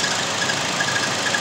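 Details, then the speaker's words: 2016 Chevy Sonic 1.4 turbo Ecotec at idle: thin high bird-chirp squeak about twice a second over hissy idle, fades when given gas, louder with AC on; pulleys spun fine, traced to a clogged PCV valve. "i got like bird chirps so it squeaks but it's not like crazy but when you give it gas it kind of goes away"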